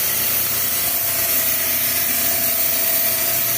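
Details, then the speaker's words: Refrigeration rack with multiple cases warm and compressors off on overload: harsh ratcheting chatter with steady mid tone over the running rack; hot gas solenoid valve sticking open. "i don't know if you can hear this but this one here sounds like it's a problem"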